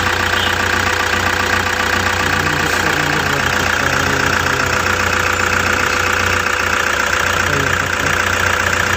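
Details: Toyota Hiace with 2kd diesel engine, restarted and starting on one click: steady, even diesel clatter at idle with no misses or hunting; engine running smoothly.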